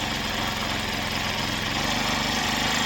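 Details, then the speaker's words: First start of a Chinese Amazon mini bike with a small single-cylinder petrol engine, oil added in the cylinder, choke off while warming up: steady, even fast idle with a light buzzy exhaust, quiet; normal idle. "there we go that's running through now it's pretty quiet you guys can hear me talking even though it's funny that's not loud it is"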